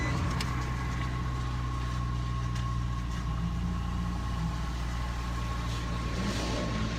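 Steady low idle with a slightly uneven, lumpy beat in the exhaust note just after a cold start; rough running, cause unclear.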